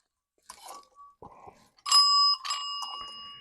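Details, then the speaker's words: Old telephone ringer bell being cranked: a few faint dings, then two short bursts of clear ringing that cut off quickly; weak intermittent ringing, cause suspected, not confirmed. "let's see once again I can hear that things are trying to happen but they're not moving that well see this should be like just chiming gloriously now"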